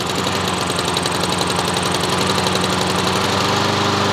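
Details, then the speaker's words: Honda lawn mower engine after auto choke deleted and replaced with manual choke cable and new carburetor, started first pull, run at full mowing speed: steady even high-speed buzz with no misses or surging; normal running at full speed. "now we're at full mowing speed now can we idle this down now so you know to run it full FL all the way"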